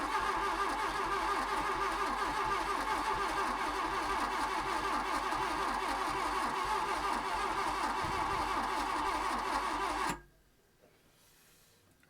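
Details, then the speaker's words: VW Golf Mk1 GLi Karmann cabriolet parked 31 years, first start attempt: starter churns steadily for about ten seconds with the odd weak catch (briefly fired on one) but won't start. No fuel is coming from the injection lines, cause unknown. "nothing coming out of any of those injection lines so why is that I wonder"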